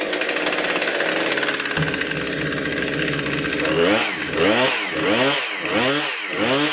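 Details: Husqvarna 460 Rancher two-stroke chainsaw, brought in because it wouldn't start, now running after the repair with fuel and bar oil topped up. Revs up and down about once a second, crisp and even, no stumbling or misfire; normal running.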